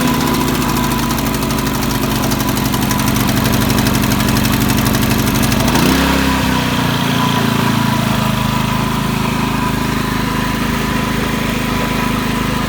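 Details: Ryobi RYI4022X 4000 W digital inverter generator, cold start, warming the oil before an oil change: steady, even hum that dips and settles as the governor adjusts; running normally.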